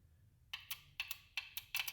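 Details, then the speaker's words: 2003 Honda Civic with VTEC not kicking in and bogging down, code P1259: the unplugged VTEC solenoid is jumped from a jumper box through a test light and tapped. Crisp consistent double clicks on every tap. Solenoid works normally, so the fault lies elsewhere. "tap it if you hear that every time you tap it the mean the cylinder is good so if you have a big problem definitely not the solenoid"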